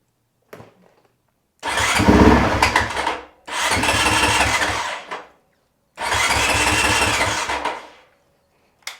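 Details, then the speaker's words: Honda CRF450RL cranking: three bursts of about two seconds of steady starter chug that never catch; the relay clicks but the fuel pump does not prime; crank no start from a suspected failing fuel pump. "no fuel pump Prime same old story"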